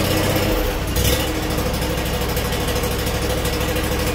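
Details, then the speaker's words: Scag Freedom Z mower with a Kawasaki FH580V 19 hp engine, after replacing the carburetor for a worsening rough idle and reconnecting a forgotten wire: it catches after a brief crank and settles into a slow, steady, even idle; the repair was successful. "Nice slow idle. Okay, I think we'll call that successful."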